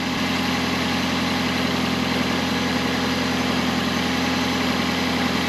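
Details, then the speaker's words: 2008 Toyota Prius engine after connecting rod bearing replacement for bottom-end knock: smooth, even idle with no knock, only a faint exhaust puff from a small exhaust leak. "all right start it up sounds pretty good"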